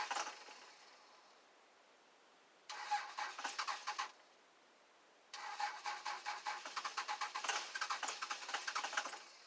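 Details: 2001 Dodge Cummins diesel cold start at 25°F, unused two weeks, not plugged in: two thin, distant cranking bursts, the longer about four seconds, with fast, fairly even compression beats.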